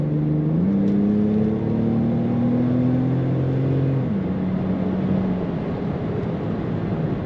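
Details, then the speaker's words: 2000 BMW Z3 convertible, just over 80,000 miles, accelerating on the road: engine note climbs smoothly through each gear, drops cleanly on shifts and pulls again; good acceleration, crisp throttle response, normal. "good acceleration ation crisp throttle response a fun to drive car as you might expect from BMW"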